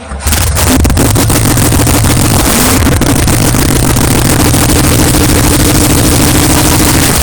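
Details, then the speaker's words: 1981 Chevy K10 V8 with leaky timing cover, oil pan and exhaust manifolds, oil-primed, carb primed, no accessories fitted: catches quickly into a loud steady even idle, no ticking or knocking; sounds amazing. "that sounds amazing"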